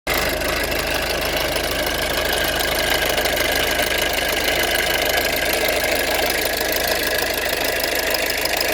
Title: 1.6 TDCI rattling sound